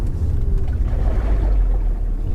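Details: BMW Z4 parked outside after heavy downpours, microphone held near the suspected spot while slowing to a stop. Low, uneven swishing and gurgling of water sloshing, suspected trapped in the frame rail, to be drained by drilling.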